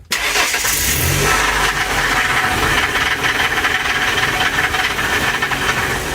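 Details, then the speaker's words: 2002 Ford E150 4.2L with P0340 cam sensor code and chugging complaint, doghouse off, in gear and power-braked after repair: fires instantly, loud steady idle with crisp valvetrain clatter, no stumbling or cutting out; normal start and idle. "No error, and the engine's not cutting out anymore. Hey, that looks like a fix."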